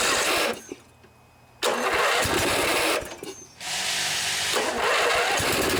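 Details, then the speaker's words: Snapper SR 1028 riding mower with a 10 hp flathead Briggs and Stratton, roughly 30–40 years old, sputtering: it catches, cuts out twice, then runs unevenly; owner says it could use more carburetor work but functions fine. "Sputters a little bit, could probably use a little more carburetor work, but it functions just fine."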